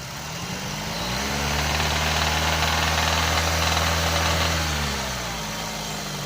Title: what's this noise? when you hit the gas, start's to make this noise, we found "metal" in oil filter